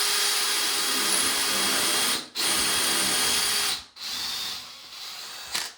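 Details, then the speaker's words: Drilling ceramic wall tile with a Bosch Expert 6.5mm bit, pushing through the glaze with an audible crack: steady high whir with two brief pauses and no labouring or grinding. Through the tile in seconds. Normal drilling. "Easy as that. So it went through that tile in seconds."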